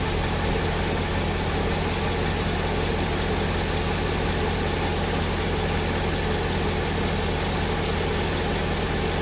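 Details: 2003 Mercedes S55 AMG, about 186,700 miles, after ABC hydraulic pulsation damper replacement (a bad damper whines near 2000 rpm): steady engine with only low pump hum, much quieter, less hydraulic whine, no leaks; normal hydraulic pump operation.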